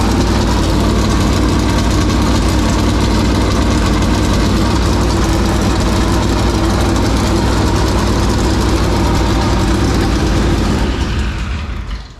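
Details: 465 ci V8 race engine started for the first time in three years, with fuel pressure issues: rough idle holds steady about eleven seconds, then fades and dies as the fuel runs out. Fuel starvation.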